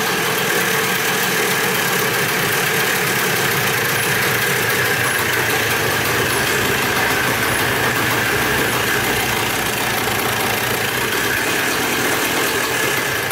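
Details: Dirt bike bought in a four-bike lot, first start after checking the petcock and carburetor and refitting the spark plug: an even two-stroke buzz with no misses or sputters; normal idle. Throttle threads found stripped afterward.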